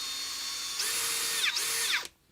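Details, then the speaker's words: Makita XPH14 cordless hammer drill, freshly battery-powered: two short runs of loud, high, shrill motor whine that sags and recovers mid-run, with a burning smell; motor sounds rough and unhealthy, cause unclear. "but i put a battery in this one and the motor doesn't sound good and it smells like it's about to burn"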